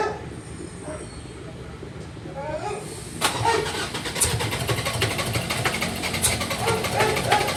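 Quiet at first, then the starter churns at a steady rhythm for several seconds and the engine never fires: cranks but won't start.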